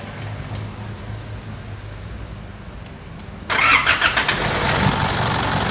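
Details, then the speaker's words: 2005 Isuzu D-Max diesel after replacing the part behind a front-of-engine noise earlier blamed on the A/C compressor: low, even idle, then a louder steady run, noise gone, sounds healthy. "นี่นะครับหลังจากเราเปลี่ยนอะไหล่ไปแล้วเราติดเครื่องแล้วมาฟังเสียงครับเสียงมันเงียบแล้วครับไม่มีเสียงดังอีกแล้วครับ"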